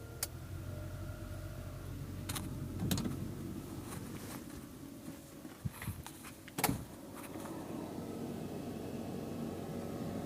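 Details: Lada VAZ 2109 cabin heater blower after its housing was opened and debris cleared from the fan motor, running smoothly with an even airy whoosh and low hum; the earlier rustling is gone, no rattling or scraping.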